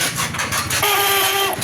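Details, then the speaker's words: Bike starter motor while cranking with ignition on: harsh rasping, then a loud steady whine, because a half-worn starter bush has failed; the magnet assembly is to be replaced. "ఈ సౌండ్కి మనకి main problem వచ్చేసి ఇక్కడ చూడండి, ఇక్కడ ఒక bush ఉంటుంది అనమాట. ఆ బుష్ అనేది ఫెయిల్ అయితేనే మనకి సగం మరిగిపోతేనే ఆ సౌండ్ వస్తుంది."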